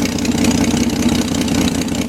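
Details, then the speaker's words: BMC Wolseley Farina 24/80 rebuilt engine on its first start: rough, loud idle with a raspy chuff on every firing pulse. Exhaust leaking at the muffler joint because the muffler fitted doesn't fit. "terrible leak coming out of here"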